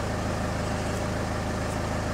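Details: Citroen Xsara Picasso diesel with over 512,000 miles, stationary at idle during diagnostic readout, alternator good; steady, even diesel clatter with constant low beat, no knocks or misses, healthy normal idle.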